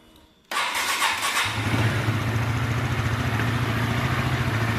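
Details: Sonic-type motorcycle, 85,000 km, cam chain never replaced, after crank and balancer bearing work, cover off: rough raspy idle with fast chattering rattle; worn cam chain.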